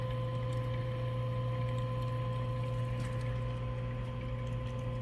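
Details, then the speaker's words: Gas clothes dryer converted to wood-boiler water heat: circulator pump running with steady even low hum and faint constant tone, no knocks or rattles; airflow good, operating normally. "I'll go over and check the circulator pump and see if that's running all right circulator pump is running I can feel it I can hear it if you can hear"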